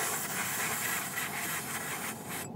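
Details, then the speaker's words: Rear tire after re-inflating on a road trip: steady high hiss pulsing then cutting off; air leaking around the base of a cut valve stem, which needs replacing. "hear that the valve stem is like not sealing I don't know if it's seated all the way or it's not seated all the way"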